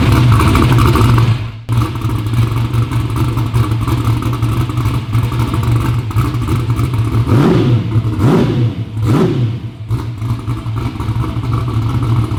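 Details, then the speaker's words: V8 ("Black Sheep") restarted after service with oil refilled half used, half new. Deep, even rumble with three quick, clean throttle blips rising and falling crisply; healthy and responsive, normal start and rev. "It sounds good. It sounds healthy, snappy."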